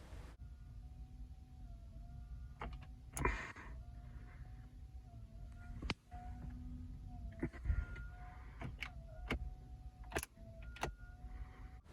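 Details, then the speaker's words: Toyota Prius that won't start, dashboard only partly lit, weak 12 V battery (not the hybrid battery): quiet cabin with repeated high chirping, crying whines and sharp relay clicks; low 12 V battery no-start. "if your prius won't start and it dashboard doesn't light up and it makes crying animal sounds like this"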